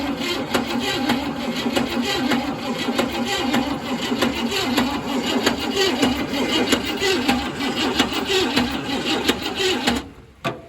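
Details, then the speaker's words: 1966 Cadillac DeVille, first start after sitting, new plugs and wires, fuel plumbed from a can: steady starter churn with even compression pulses, never fires; fuel bowl not filling, pump not sucking, possibly plugged, so no fuel delivery. "Let's see if it even sucks on my finger. Yeah, it's not doing anything, so we'll just have to, we'll just pour a little bit in there."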